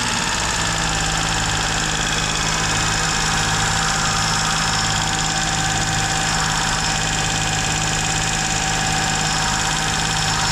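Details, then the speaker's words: Duet car with a misfiring ("sneezing") complaint, restarted after throttle work once the engine had cooled; it holds a fast, even idle with a busy hiss on top and does not drop back; the owner suspects an air leak: high idle, cause unconfirmed. "Ну что он остыл блин всё равно высокие обороты где-то он тянет воздух капец"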